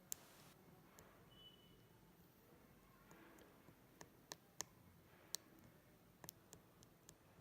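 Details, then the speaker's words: 2016 MacBook Pro Touch Bar keyboard, uneven key sounds: sharp, irregular high-pitched clicks from a single key, about one a second, thin squeaky edge on some presses; owner first suspected dust, now suspects dome-switch design and thermal expansion, unconfirmed. "so if we can see this key you can see some high-pitched noises coming from here"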